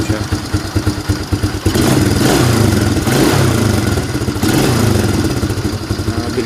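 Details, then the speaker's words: Fury 125 single-cylinder motorcycle after DIY carburetor repair kit replacement: uneven idle patter, then two quick throttle blips with revs dropping back quickly and cleanly, unlike before the kit was replaced; carburetor throttle response normal. "Bilis na pong bumaba yung kanyang minor. Hindi katulad po nung hindi pa natin siya napalitan."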